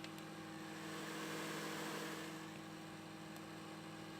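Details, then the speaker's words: Dell Dimension E520 desktop while Windows is loading files: steady whirring hum with faint regular ticking; first thought to be the fan, but it is actually the loud disk drive. "I thought that was the fan at first, but it's actually the disk drive."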